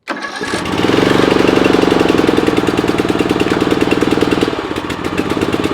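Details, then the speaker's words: Hustler Sport 42 zero-turn mower started hot on full choke. It catches quickly and runs loud, fast and slightly uneven, giving black smoke (no blue smoke). Rough running, suspected to be from the choke being stuck on. "And I think that's just from the choke. And it sounds like the choke was stuck on."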